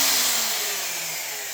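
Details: Craftsman 10-inch table saw 15 amp motor after rear bearing repair: smooth whirr falling steadily in pitch as it spins down, no grinding or bearing rumble; normal, healthy motor run-down.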